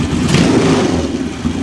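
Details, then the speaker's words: JS flatside carburetor after installation and idle mixture adjustment (mixture screw set about 1/4 turn out, idle speed screw left as is): engine revs up quickly and drops straight back to a steady idle without hunting or stumbling; mixture sounds right, normal rev and return to idle. "Rev it up and it settles back down to an idle. Sounds good."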